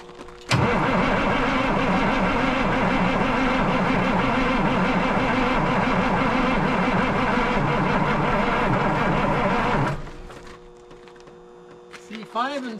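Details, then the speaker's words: 1977 Peterbilt 359 diesel, first start after sitting 20 years: steady starter cranking for nearly ten seconds with no firing; lines show air coming out of one and nothing from others, so it cranks without starting due to air in the fuel system. "see one you can see air coming out and well the good news if there's something coming out then it must mean that it's pumping"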